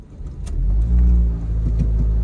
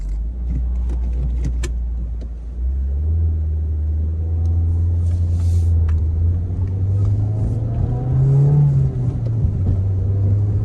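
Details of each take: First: 2008 Ford Focus 2.0 on a test drive, pulling away with a heavy booming drone and tons of vibration. Dash items rattle and pedals tingle; owner thought it was exhaust, but the cause is a failed engine mount. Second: 2008 Ford Focus 2.0 on the post-repair test drive after replacing a failed engine mount; the engine hums low and steady, rising with speed, no heavy vibration, much quieter; a slight dash buzz remains and there is no exhaust leak.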